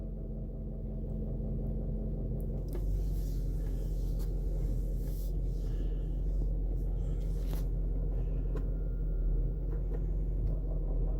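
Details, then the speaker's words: 2012 Range Rover Vogue SE 4.4 TDV8 (LHD), stationary, engine running in neutral: diesel idles evenly; turning the wheel left is silent, turning right brings light irregular clicks, apparently from front left (driver's side). Also clicks in reverse; cause not yet found. "now she's in neutral left hard wheel nothing start a turn the wheel right and the sound comes on"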